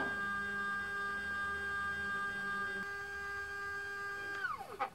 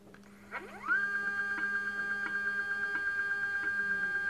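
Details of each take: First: iOptron CEM40 mount after RA belt fix, powered up and slewed: clean electronic whine ramps up, holds and winds down with no grinding or knocking; belt-driven axis running smoothly. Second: iOptron CEM40 mount, declination axis at maximum speed: motor whine rises quickly to a steady high tone with a soft tick about three times a second as the damaged drive belt catches; erratic RA guiding.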